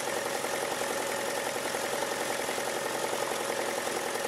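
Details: VW Jetta 1.8T, timing belt overdue, just after start-up: fast metallic rattle about three to four clanks a second over idle; owner was told turbo needed replacing, second opinion suspects something else, noise changed when pried with bar; cause unconfirmed.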